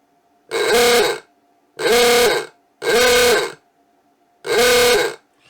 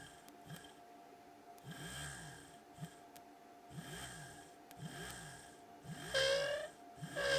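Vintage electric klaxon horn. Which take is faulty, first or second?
second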